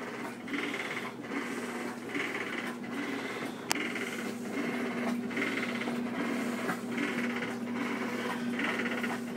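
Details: Two-year-old Whirlpool Cabrio top-load washer; rattling buzz in time with each agitation stroke, about once a second, only while washing, not during spin; owner suspects bearings, not confirmed.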